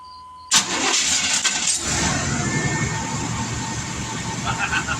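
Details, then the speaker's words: Chevrolet started in an emergency from improvised cell batteries reading 12.58 V through 10-gauge wires: a short crank, then it catches at once and settles into a steady, even idle, drawing 4 amps afterward. A normal crank and start. "She's on. It just did it. It did do it."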